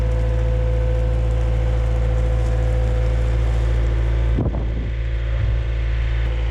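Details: Yamaha XL700 waverunner two-stroke after engine reinstall: deep steady drone with even beat, brief splash-like burst, runs cleanly with no misfire; real fault had been just a hose.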